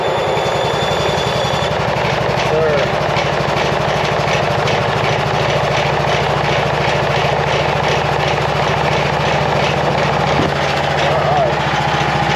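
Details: Cub Cadet RZT 42 zero-turn mower, started after plugging in the hour meter that had stopped it running: the small engine catches and settles into a steady, even idle with no misses, knocks or hunting; it sounds healthy.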